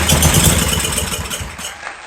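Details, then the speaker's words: Generac SVP 5000 generator, long unused, customer reported no spark; starting fluid sprayed in: catches with rough uneven firing, runs barely two seconds, then dies. "let's uh squirt some juice in this thing this chemical juice"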